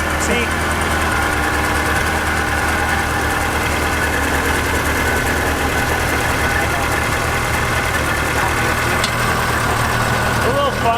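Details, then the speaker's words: Junkyard Ferrari first started after about six years of sitting, likely on old gas: an uneven idle with a low, wavering drone and scattered popcorn-like pops. Rough idle, stale fuel suspected, cause unconfirmed. "it hasn't run it so long and it probably has old gas in it right does that go gas it smells awful that's normal sounds like popcorn"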